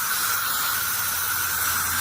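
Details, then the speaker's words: Irrigation winterization blowout: steady hissing rush of air with no water from the open hose bib at the steel-screen irrigation filter, showing air flows freely into the valve through the line. "But now I know I've got air flowing into this valve through that line."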